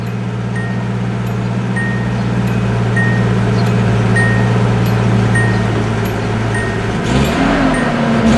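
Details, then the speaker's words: Nissan 280ZX, warm day, after replacing the oil breather hose and air duct hoses; steady low idle hum with even rhythm, no hiss or stumble, faint regular chirp in background; sounds quite a bit better, idles fine. "Sounds actually quite a bit better."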